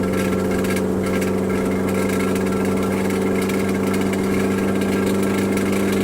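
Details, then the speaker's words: Turbocharged DC2 Integra at idle, turbo gasket blown: loud raw unmuffled idle with a harsh rasping puff on each firing pulse as exhaust escapes at the turbo gasket. Exhaust leak at turbo gasket. "Alright, so my gasket exploded on my turbo. It is what it is."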